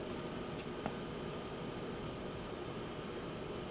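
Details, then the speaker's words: HP DV9000 laptop cooling fan after high-speed fan mod (resistor removed, switch added), running on normal low setting at power-on before switching to high speed: soft steady airy hiss, not spinning fast, no ticking or rattle; normal low-speed fan. "fan spins Up Normally zooming in on the fan and as you can see it doesn't spin very fast it's just low setting"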